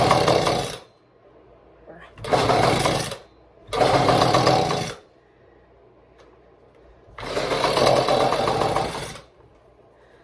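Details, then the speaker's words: Echo PB-200 two-stroke blower, being coaxed with starting spray and a little throttle: engine bursts into ragged "ba ba ba" buzzing for a second or two, dies, catches briefly again; runs rough and keeps stalling. "She tried. Oh, she is. She's close. If you can't hear that, it's going ba ba ba. I gave it a little bit of throttle. I think that helped."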